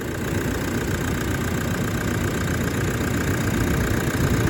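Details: 2013 Toyota Prado 150 diesel, over 300,000 km, with a new long motor and turbo, after plugging in the last missed connector: steady low diesel clatter with an even beat and no misses or hunting. Normal idle.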